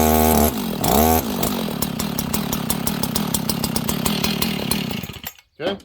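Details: Husqvarna 61 chainsaw fired up with chain brake on after checking the clutch: settles into steady, even idle with no rubbing or scraping, then shuts off; clutch spins freely.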